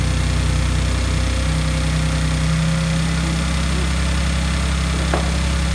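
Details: Salvage Audi S4 after fitting the crank pulley, new idler pulleys and both belts: a smooth, steady low idle hum with no ticking, squeal or belt chirp. Normal idle, running properly.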